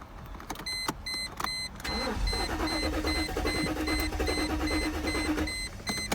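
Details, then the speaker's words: Mercedes SL500 sat 6–8 years with window open, first start attempt: strong steady cranking that almost catches then dies; needed gas, out of fuel. "I just cranked it and it sounded like it wanted to kind of start it almost did and then it died out"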